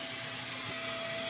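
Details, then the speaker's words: New FLSun T1 3D printer, set to 115V, failing its self-test on 3 of 5 checks, with bed and nozzle not heating and the head not moving: a steady, high, airy fan roar with a fixed whine; fan runs at full speed from power-on, cause unknown. "And I've tried manually moving things and you can hear this fan is on. This fan switches on the moment you turn the machine on and does not stop. And that can't be right."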